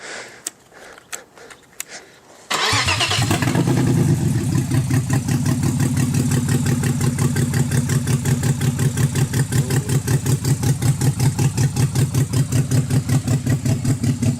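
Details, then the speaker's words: Freshly built forged 3.1-litre custom S52 six-cylinder after priming oil pressure: cranks, catches, lumpy idle pulsing about three times a second, no clear misfire; ECU fault with P0601 internal control memory codes. "it didn't sound like it was misfiring it just sounded like it was running like [ __ ] right he was having a rough time idling"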